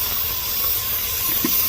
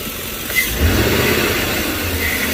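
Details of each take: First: 2005 Chevy Tahoe that shakes while driving, with the check engine light flashing on the highway. At idle a steady sharp hiss of escaping air comes from a vacuum leak, traced to a torn hose that was replaced. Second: 2005 Chevy Tahoe after replacing a leaking vacuum line. It had shaken while driving and flashed the check engine light. Engine catches and settles into a steady, even idle with no hiss or shake; normal idle, problem fixed.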